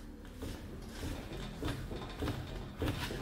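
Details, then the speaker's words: Worn upper ball joint on a 2002 Toyota Tacoma 4WD: dull knocks about every two-thirds of a second as the front wheel is rocked by hand, a pop from the top with visible play in the joint, so it is bad. "definitely there's that pop in the top and since i visibly see that movement on that ball joint i know this one is bad"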